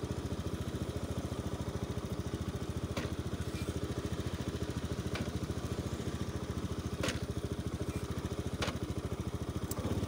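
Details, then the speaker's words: Zoomer-X scooter on a test ride, even single-cylinder putter with sharp clicks every couple of seconds, and a warning light shows as it stutters and stalls; previously in an accident, fuel and pump normal; suspected intermittent electrical cut-out, unconfirmed. "เอาอีกรอบนึงมันจะดังแก๊กแล้วก็จะมีไฟโชว์นะครับ"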